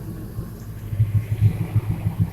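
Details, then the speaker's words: 2000 Ford F350 5.4 V8, after intake replaced for coolant crossover leak, camera near tailpipe: deep rumble with several quick throttle blips, even and clean, no leak hiss; normal revving. "I'm gonna see if I can get a couple of revs out of it for you guys. Sounds pretty good though."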